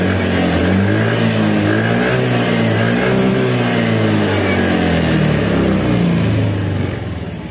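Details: Yamaha Fazzio scooter (made March 2022) running on a recharged battery, charging about 13.8–14 V: steady, even engine note with a smooth rhythm, no knocks or misses; healthy running.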